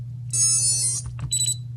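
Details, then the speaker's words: Hellgate FPV buzzer on a crashed quad, about a minute after the flight battery ejects: loud, shrill, high-pitched chirping beeps in short bursts over a low hum; lost-model alarm. "after it ejects your battery takes about a minute for it to actually start going cause it's thinking maybe you're gonna put the battery in or whatnot it's pretty loud"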